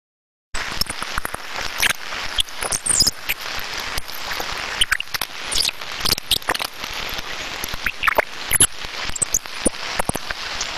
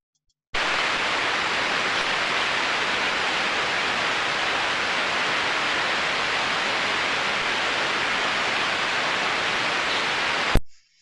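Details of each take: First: Industrial bearing heard through an ultrasound detector at the extreme-damage stage: loud harsh crackle with sharp squeaks, metal-on-metal rubbing from severe lack of lubrication. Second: Ultrasound detector reading at the drive end of a motor with an extremely slow-speed bearing in good condition: a faint, steady, even hiss with no clicks or impacts, the sound expected from a healthy slow-speed bearing.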